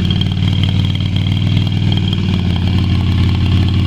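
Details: Yamaha Virago XV250 after six years in storage, some oil added: lumpy, uneven idle loping about two or three beats a second with a wandering rhythm, running rough.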